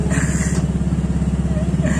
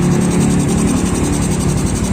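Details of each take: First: Yamaha Mio scooter idling, hard to kick-start: coarse, rattly chatter on every engine beat from the CVT side; the kick-starter boss is loose so the lever wobbles, and kick-start sets replaced several times haven't helped, so the boss must be replaced. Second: Yamaha Mio scooter after repairing a loose kick-starter shaft and boss: single-cylinder engine revs steadily and evenly with no knocking; CVT-side roughness gone.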